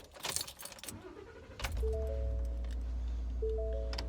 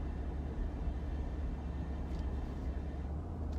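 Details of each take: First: 2015 Ford F150 after fixing a low-rpm, slow-speed exhaust heat shield rattle with a new stainless clamp: starts and drives off with a steady low rumble, no metallic rattle underneath. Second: 2015 Ford F-150 at about 1,000 rpm and 33 mph: low engine drone with a buzzy metallic rattle that only occurs at low rpm and slow speed when the engine hits a certain harmonic.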